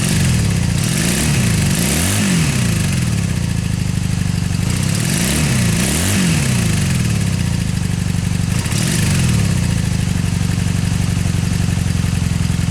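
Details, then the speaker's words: 2002 Honda Magna, freshly rebuilt carbs, before new air filter and plugs: revs rise and fall unevenly with stumble and popping at throttle; hesitation, suspected fouled plug or dirty air filter. "bit of popping sounds might just be due to uh a fouled spark plug or the really dirty air filter that's inside the Magna"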